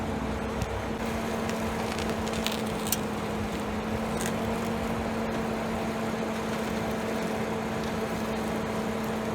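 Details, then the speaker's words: 2011 BMW 535i, after cleaning the sway bar bushings and lubricating the bearings with Blaster silicone: steady road hum, only faint ticks and no loud crackle while steering. The earlier crackling is nearly gone; loose bolts are possibly also to blame. "All right, I can honestly say this almost worked 100%. I can barely hear anything compared to the noise it was making before."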